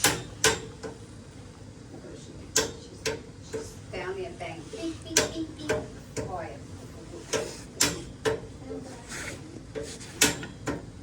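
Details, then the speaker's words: Ancient steam boiler with a suspected clogged condensate wet return line that is ice cold: sharp, hollow metallic bangs at an irregular clip, about two a second. Steam pipe banging (water hammer); cause suspected. "And she's banging. Okay, see it's banging. Mm-hmm. All right. So we're duplicating the issue now. Okay. Bang, bang, bang."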